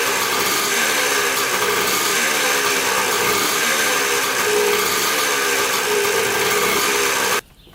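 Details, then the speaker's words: Dirt bike bought in a four-bike lot, first start after checking the petcock and carburetor and refitting the spark plug: a high, buzzy two-stroke note, steady with no stumbling, then a sharp stop; normal running. "say she runs pretty good awesome that didn't take much"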